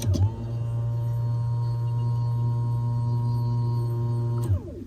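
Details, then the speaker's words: Flooded BMW 135i after 8 years in a junkyard, fuel pump powered directly; steady low even hum, sounding like it spins with only air, tank suspected empty, not confirmed. "sounds completely empty that's what I just thought too yeah it sounds like it's just spinning with air"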